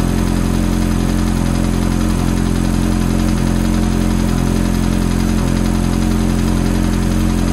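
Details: Ferrari F430 V8 at cold start: steady, even idle with a light, quick tick riding over it; ticking at cold start idle, source unclear.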